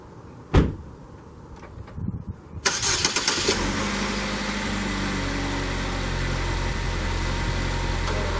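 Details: 2014 Chevy Equinox 2.4L that stalled on take-off with code P0011, after new spark plugs: door thump and handling noise, then it starts quickly and settles into a smooth, even idle with no misses.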